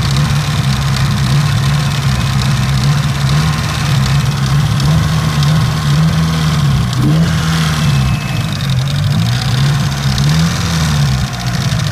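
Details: Mitsubishi Evo 9 petrol engine, warm idle after about 3 miles of driving: light, regular ticking knock over a deep, slightly wavering idle; the noise appears only after driving, and the owner is unsure whether it is valve tick or rod knock.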